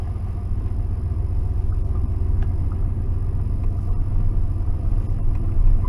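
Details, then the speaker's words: 1992 Ford F-150 4x4 with 302 V8, sat 10 years on old gasoline, revived with water pump bolts repaired and a vacuum line refitted: steady, even low rumble with no misses, knocks or ticks, alternator charging; running smoothly. "Seems to run good now. It's a 302. It's a good good engine."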